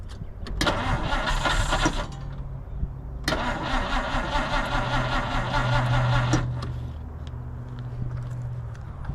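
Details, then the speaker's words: 1950 Dodge Meadowbrook on a 6-volt battery, engine running worse than before and fuel squirted into the carburetor, which may be running out of fuel. Two bursts of sluggish, uneven cranking at about 2.5 turns per second: starter much slower on 6 V than 12 V. "But you hear how that starter is much much slower on uh 6 volts than it is 12."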